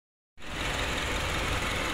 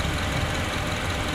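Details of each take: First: Honda CR-V 2nd generation starts and settles into a fast, loose metallic chatter at idle; the timing chain area is suspected. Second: Honda CR-V second generation idling after the valve cover was removed and the timing chain damper area checked for a klotok/kletek noise: steady, even hum with no ticking or strange noises, warming up until the fan comes on; normal idle.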